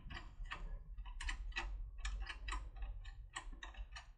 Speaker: this is where clicking clicks happen you can hear I've mentioned and this clicking means that it hits a household